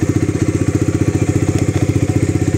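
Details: Bajaj Dominar 400 motorcycle that wouldn't start in the morning, battery not holding charge and due for replacement; started on a jump starter on the third try: quick, even thumping idle, about fourteen beats a second, steady with no misses or knocks; idles normally.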